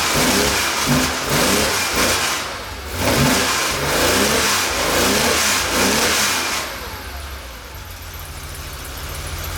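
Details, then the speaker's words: 1969 Porsche 911 T after misfire and power loss, carburetor jets cleaned: engine pulls cleanly through repeated rev blips then settles to steady idle; running happier, idle and carbs still to be adjusted. "i think we got it sounds pretty good idle's gonna be adjusted a little bit whoo fire gonna adjust the carbs a little bit but it's definitely happier"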